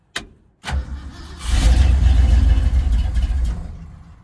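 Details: Carbureted engine on the Frankenstein truck project, cold outside, after a carb adjustment screw was unwound: cranks, catches weakly, labours unevenly for a couple of seconds, then dies; the adjustment seemed to make it worse.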